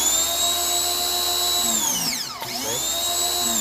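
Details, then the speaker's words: Ryobi 2000 PSI electric pressure washer after the possibly rusty piece was spun off the handle: pump whines, stops and restarts cleanly with the trigger; back to normal, the piece will be replaced. "On and off with the handle, on and off. On, off, on. So yeah, it's that piece."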